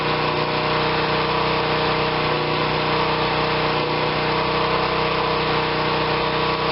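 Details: Generac 2500 psi pressure washer, small single-cylinder engine, bought not running, choke on, oil slightly overfilled with possible water in it: holds a steady, even buzz with no hunting or sputter; running healthy.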